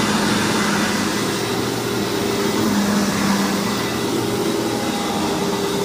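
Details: Hoover WindTunnel vacuum test run after rebuild: loud, steady motor roar with constant pitch and airflow rush, no grinding or rattles; motor is known as loud on this model, healthy.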